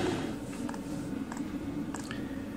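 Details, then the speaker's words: Chinese diesel heater on a workshop bench with LCD controller, reached set temperature and in maintenance mode: soft, quiet ticks about every two-thirds of a second over a low fan hum; fuel pump ticking slowly and evenly as normal. "okay so we've got a nice slow tick over on that pump now you can see the animation slowed down a bit here the machine's just ticking over just to keep the temperature up"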